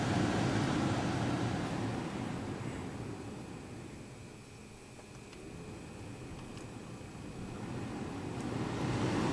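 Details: 2007 Mercedes ML350 blower motor tested after repair, on auto with fan speed clicked up to maximum. Smooth, even air rush that fades and builds with no rattle or squeal; working properly.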